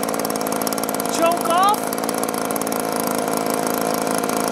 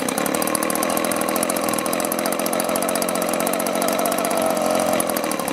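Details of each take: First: Echo two-stroke blower after repairs: spark arrestor clear, piston and cylinder unscored, gummed prime bulb fixed. Now off choke it holds a steady high buzz without surging or dying; normal running, watched for fuel-vent trouble. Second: Echo two-stroke blower with an aftermarket carburetor, after a new plug: steady howl that cuts out and sputters in bursts; owner suspects the carburetor is clogged or gummed.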